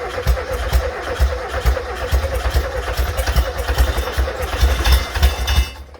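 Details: Freshly rebuilt 1600cc engine, first startup in the car with starting spray: starter churns steadily with even compression pulses about two a second but the engine never catches; battery getting low.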